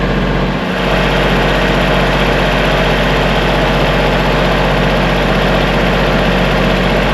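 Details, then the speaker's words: Kubota diesel tractor idling after a no-start was fixed: steady, even clatter with a constant low rumble and no knocks or misses. An E93 code is still showing, left running to see if it clears. "We'll let that run for a little bit. See if the code clears on its own."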